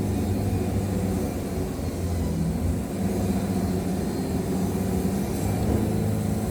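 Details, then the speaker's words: Wood-Mizer LT70 Super sawmill cutting hard hickory: deep engine drone pulled well down under heavy load, holding its note; motor bogs but no belt slip or blade dip, boards cut straight. "I hope you guys can hear how how far down I'm bogging that motor but what what you'll notice is I'm bogging that thing down but I'm not getting any blade dip or anything like that"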